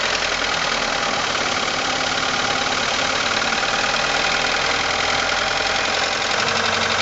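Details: 1989 Ford Probe GT with F2T engine idling with a quick, steady metallic knock ticking over a bright, busy engine sound; owner seeks diagnosis of the knocking.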